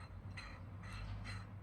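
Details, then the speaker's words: AM6 50cc moped cylinder freshly honed with a redneck method after glazing, piston pushed by hand: quiet rhythmic scraping about twice a second as the rings grip the bore, where before honing it felt smooth; normal ring drag. "On entend bien les segments travailler. Tout à l'heure c'était tout lisse, les segments ne travaillaient pas."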